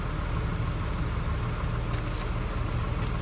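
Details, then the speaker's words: 1995 BMW E36 320i automatic, M52B20 engine, idling after repair of a ticking noise and tensioner replacement: low, even idle with steady rumble, no more ticking; normal idle. "Oke ini suara mesinnya enggak ada lagi suara tek tek sekarang udah lumayan enakan suara mesinnya"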